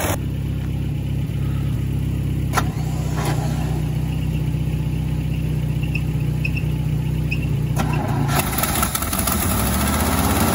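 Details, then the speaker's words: 1971 International 1310 grain truck V8, old farm truck, fresh gas in the bowl, bad accelerator: after cranking it starts and settles into a steady, even idle with a low smooth rumble, no misses or knocks; sounds good. "oh yeah oh yeah sounds good"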